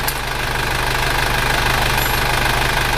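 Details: Isuzu Panther diesel after an engine overhaul, idling at 90 °C working temperature: steady light clatter, even rhythm, no misses; exhaust smoke far reduced though slight smoke remains; healthy engine.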